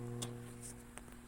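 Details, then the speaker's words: Konzert 502 amplifier with speaker connected, DC output reading zero; low constant mains hum with faint clicks, previously repaired unit. "Lagyan natin ng speaker ko ha. Naguong siya sa konting ugong. Nagha-ham siya."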